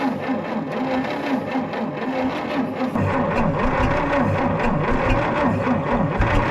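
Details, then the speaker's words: 1940 Plymouth Deluxe parked about 65 years, choked: labored slow cranking at about four turns a second. It almost catches but won't start, turning over too slowly to fire. A 12-volt battery is next. "We're so close. If this thing turned over just a little quicker, it might try to fire off."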